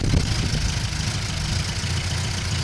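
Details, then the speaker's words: Classic Mini with newly fitted larger carburettor replacing HIF44 SU, after leaning the rich mixture and adjusting idle: even, steady idle with smooth low beat and no knocks, misses or ticks; normal idle. "It was running quite rich, so I've leaned it off slightly, adjusted the idle, and it's uh running beautiful, as you can hear."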